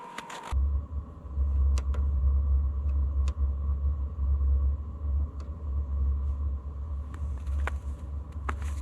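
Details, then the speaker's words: Vevor 8 kW 12 V all-in-one diesel air heater on first run, pump not pre-primed, about a liter of diesel in the tank: a low steady blower drone with light ticks, flame audible, exhaust hot; normal start-up. "so I can hear the flame going in there the exhaust is nice and hot"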